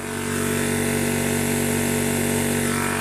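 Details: Imported 1300 W PCP high-pressure air compressor filling toward 2500 psi; loud steady drone with a fast even pumping beat about 2.5 per second. A healthy unit is very noisy; normal operation under load.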